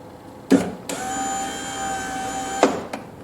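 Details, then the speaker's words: 2000 Chevrolet Corvette C5 hardtop, driver's door, new genuine GM window regulator and motor fitted, tested before glass installed: clunk, then even steady whine about two seconds, auto-down stops cleanly without grinding; normal power window operation after repair. "that's good let's see if the auto auto down works [Music] and it stopped where it should and it didn't grind"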